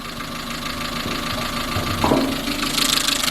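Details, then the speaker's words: Chevrolet Matiz just after an engine rebuild (valve stem seals, head gasket, skimmed block), warm idle with the bonnet open and oil level fine. A light, uneven tappy ticking with sharper chatter; the owner suspects a tensioner or pulley. "I don't know if you can hear that, maybe it sounds a bit more tappy, or maybe it's just because I've not had the car for a while. Maybe a pulley or something down there, I'm not too sure."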